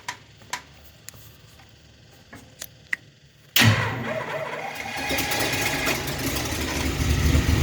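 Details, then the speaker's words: Long-stalled Dodge wagon V8, just unseized, untouched salvaged carb, no coolant: a few light ticks, then engine catches abruptly and settles into steady even idle without stumbling; normal start and idle. "It's running. It's idling. No way. That carb is untouched."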